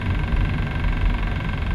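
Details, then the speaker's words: BMW E90 M3 idling after an air filter upgrade: loud deep rough drone with steady low rumble and vibration, an annoying noise from a brand-new car, source unknown. "Can you hear that vibration? What's that coming from? Look at that rev. Oh my god, that is so annoying. It's a brand new car. It shouldn't be making noises like that."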